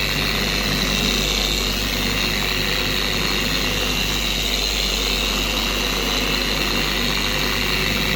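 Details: An even, steady motor hum at higher speed with no scream or rocking. A four-year-old Carbon Collective DA polisher runs normally after its gear head was regreased with red lithium grease.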